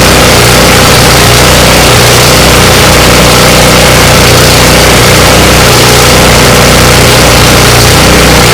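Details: Ariens 24-inch snow blower with a 9.5 engine, electric start, previously missing badly and treated with Seafoam: a loud, steady drone that holds its speed without surging or cutting out. Normal running.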